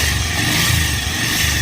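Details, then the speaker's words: Bajaj Pulsar 150 BS4 motorcycle engine running steadily with a constant high buzzing, rattly whirr over the motor, caused by a worn, damaged scissor gear. "তো ওই গাড়িটার ইঞ্জিনে আওয়াজ হচ্ছে ঝাঁঝা করে। তো সিজার গিয়ারটা নষ্ট হয়ে গেছে বলে আওয়াজটা হচ্ছে।"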